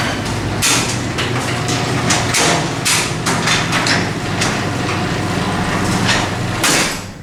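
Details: Garage door opener closing via the keypad: motor drone under irregular clanks and rattles as the panels roll down; rubbing was heard earlier, but there is no grinding or straining here; the door closes normally.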